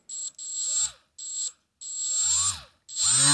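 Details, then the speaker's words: Milwaukee M12 die grinder with a Roloc abrasive disc that wobbles even at low speed: short shrill high-pitched spin-ups with a wavering, warbling undertone; unbalanced disc vibration hammering the grinder bearings. "balanced and here here you can definitely hear the noise that really loud R is bad that's bearings again beating themselves to death that's not good"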